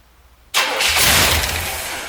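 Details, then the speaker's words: 1973 Chevrolet Corvette C3, bought non-running on eBay, after re-dropping the distributor to correct ignition timing (rotor was well off): short crank, then it catches at once and settles into a steady run; normal start. "better woo look at that that's what timing will do"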